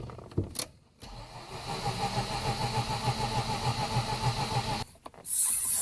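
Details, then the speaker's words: 2004 Mazda RX-8 rotary, suspected flooded: steady starter cranking about three beats a second for about four seconds, never catches; air pump audible in background; crank no start. "well it cranks um you may also hear another noise in the background that's the air pump"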